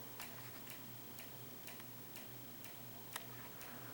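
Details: Wobbling bedroom ceiling fan: sharp regular ticks about twice a second over faint motor hum; owner thinks the clicking comes from the wobble, source unconfirmed.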